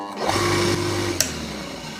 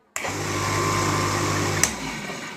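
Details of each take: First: Household water pump motor that often won't self-start, winding found good: steady low electric hum while failing to start, then it rises quickly and runs evenly once spun by hand; a faulty run capacitor prevents self-starting. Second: Household water pump motor that often wouldn't start and needed hand spinning, after a loose part in its holder was packed tight with thick paper: instant start at first switch-on, steady low hum and water rush, no buzzing stall.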